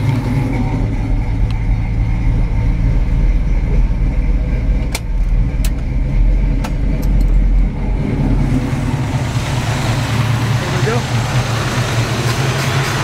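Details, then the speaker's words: 1968 Pontiac Firebird V8 at idle with the AC compressor shut off: a tight, deep idle with a faint occasional tick, possibly slight lifter chatter, definitely no rod knock. "It's a pretty tight motor. A little bit of maybe lifter chatter in there. Definitely not a rod knock that I sense."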